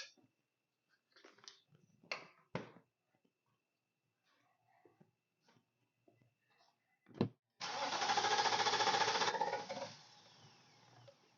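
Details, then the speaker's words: 2014 Nissan Armada with intermittent crank-no-start: after clicks, starter spins briefly and the engine fires, flares, then drops away after starting fluid sprayed below the MAF; owner suspects fuel system, possibly in-tank fuel pump, unconfirmed. "um so I sprayed the starting fluid and the vehicle started right up now that does not indicate that the problem is solved"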